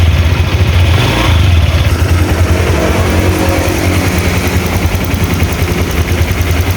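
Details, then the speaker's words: Honda Vario 125 after a cylinder head repair of its rough-running engine: smooth, even note that revs cleanly and settles back without roughness, with no bubbles in the radiator, so the head gasket is OK. "Itu sangat berbeda sekali ya dari kemarin, itu untuk mesin itu kasar sekali ya. Ini sudah adem untuk mesinnya."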